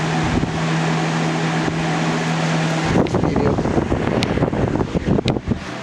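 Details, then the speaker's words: 2000–01 GE box fan model 106620 with chipped blades, on medium speed: even constant airflow hum, low steady drone, no rattle or ticking; normal running. "This is how medium should sound, in my opinion."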